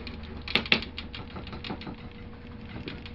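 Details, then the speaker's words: Coax antenna with no continuity between the shield and the center pin: light, irregular clicking and ticking as the antenna is shaken, with two sharper knocks. A loose internal part is suspected; not confirmed. "you can hear a rattling the antenna probably about the"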